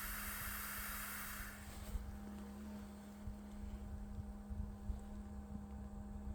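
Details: Bison hand water pump shortly after pumping stops and water drains at the freeze line drain hole, mostly in weather below 50°F: a steady low groan near 200 Hz with scattered soft thumps. The cause is unknown.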